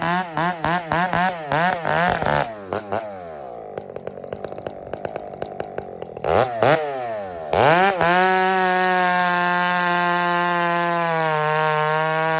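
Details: Husqvarna 394 chainsaw just fired up, blipped then held wide open off the wood: steady full-throttle scream with slight burble; healthy, slightly rich tune at full throttle.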